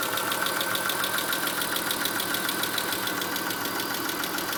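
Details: Chrysler Stratus/Cirrus 2.5L after timing belt (Gates kit), Champion plugs gapped 1mm, and upper intake/EGR gaskets replaced; P/S belt off; right camshaft slipped 1/4 turn during belt install; sharp even top-end ticking about 3.5 per second over rough idle, cause unconfirmed.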